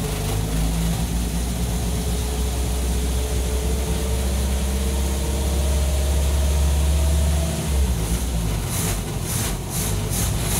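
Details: Gold Del Rey, carbureted engine started again on December 1, 2021 before the front is stripped for painting: a low, steady rumble with an even pulse around three per second and no knocks or misses, a normal idle.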